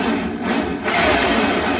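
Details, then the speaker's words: Old drill with a traditional keyed chuck and small bit, in normal rotary mode before switching to hammer: steady, even motor whir with no knocking or chatter, smooth rotation without hammer action. "so the drill is now spinning on its normal function and if I do this"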